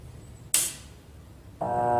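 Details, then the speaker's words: Weak washing machine that won't agitate or spin, run with no capacitor fitted so only one of its two motor windings works: a relay clack, then a steady electrical hum with no rotation; the motor stalls and only hums. "lá piorou né aí que não vai mesmo né aí que não faz nem sinal de nada mesmo né Por quê Porque só tá funcionando uma bobina das duas que deveriam estar Funcionando aqui"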